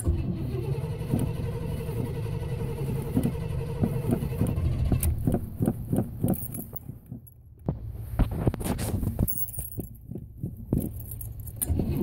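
Starter churns steadily for about five seconds, then uneven stumbling chugs as it struggles to catch; hard-starting engine, cause unknown.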